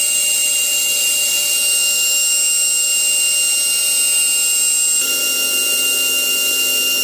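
[1, 'yes', '-', 2, 'normal spindle run', 'high-speed grinding spindle', 'Steady high-pitched whine holding one even pitch throughout, no roughness or rattle; the spindle runs smooth and healthy.']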